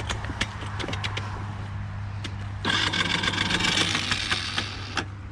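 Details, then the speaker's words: Honda CRF230 that made a weird noise and died on the trail; the starter churns in a rapid, uneven rhythm of three to four beats a second but the engine never catches; owner suspects cam chain or rod/piston damage. "went tries to start oh okay yeah"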